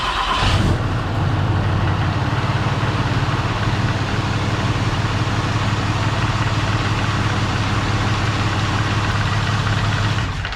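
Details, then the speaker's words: 6.7 Cummins diesel just after EGR delete, untuned and in limp mode: cranks and catches within a second, then settles into an even, steady idle rumble with no knocks or rattles; normal start and idle. "as you can all hear it runs oh well it starts um it's gonna have to be loaded up on trailer because it's in limp mode right now"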